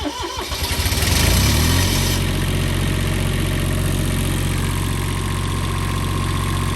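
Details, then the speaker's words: Onan 6.5 diesel generator in a 1993 Fleetwood Bounder RV, restarted after oil, oil filter and fuel filter change and 10-minute heat soak; cranks briefly, catches and settles into steady even low run, no knocks or misses, healthy. "It's been off for about 10 minutes for the heat soak. Let's go ahead and restart it."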